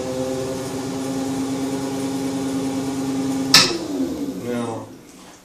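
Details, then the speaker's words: BMW E31 840Ci EV conversion on bench, gearbox running: steady electric drive hum, then a sharp click and motor winds down, cutting out when given too much throttle; owner suspects controller maximum-current parameters, inverter needs diagnostics. "to hit a point where i try to give it too much juice i think it's some parameters here on the uh on the um maximum current and stuff on the controller"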